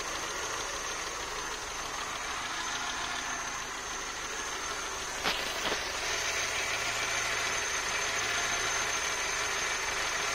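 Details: 1984 Citroën BX after replacing original seized thermostat that caused overheating and coolant spraying: warm steady idle, then rushing air as radiator fan kicks in, no coolant pool, normal running.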